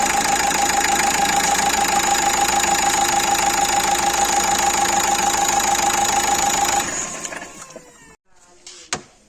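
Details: Renault Duster 1.5 dCi diesel, from a strange-noise and alternator-pulley-replacement job: even, steady idle hum with no whine, squeal or rattle, then shutdown. Sounds healthy.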